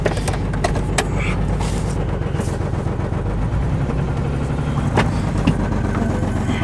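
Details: Cold-start 1996 Chevy S10 Blazer two-door V6 lopes and stumbles with occasional misses under a loud, raspy exhaust from a bad muffler; rough running from a faulty fuel injector spider.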